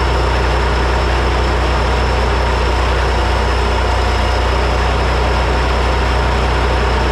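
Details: Three-cylinder Kubota diesel repowered into a Melroe 610 skid loader, first start: steady low chug at even idle, firing cleanly with no misses or knocks; healthy once the reversed fuel shutoff solenoid wiring was fixed and diesel reached the injectors.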